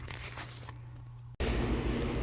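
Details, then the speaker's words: Kenmore Elite electric dryer, model 110.68062801, after replacing worn drum idler wheels and belt: low steady hum with an even, quiet tumble and no more banging; the drum turns smoothly, back to normal. "this is the dryer running now you can hear how quiet it is everything's back to normal no more bang bang bang everything's good"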